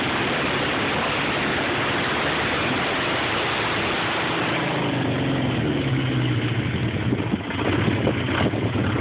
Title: Rough idle